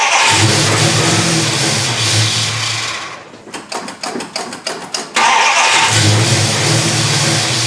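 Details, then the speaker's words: 1974 Dodge Charger, not started in two years, no carburetor base gasket, booster vacuum port capped: runs then stumbles into choppy sputters and catches again, hunting; vacuum leak past missing base gasket, later fitted and ran well. "i'm just going to ignore the vacuum leak created by not having a gasket on the carburetor figures let's start it will actually stay running"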